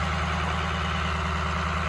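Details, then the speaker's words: 2003 Ford F350 with a swapped-in 2006 6.0 Powerstroke diesel, after a coolant flush and fill, held at about 1200 rpm high idle to purge air bubbles while warming up: even clatter, no misfire or knock; normal. "we're just rolling it up trying to get the air bubbles out about 1200 RPM high idle"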